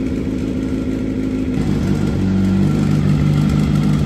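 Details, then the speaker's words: 2007 Suzuki GSX-R 750 wrecked-bike rebuild, idling up to temperature with oil residue burning off: steady idle with a loose, uneven ticking rattle about three times a second; suspected bad cam chain tensioner, unconfirmed; radiator also leaking. "Sounds like we've got a bad tensioner. Bad tensioner."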